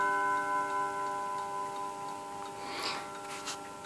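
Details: 1948 Seth Thomas Westminster chime tambour mantel clock: a steady tick around two a second under a faint lingering chime ring. The movement sounds even and healthy.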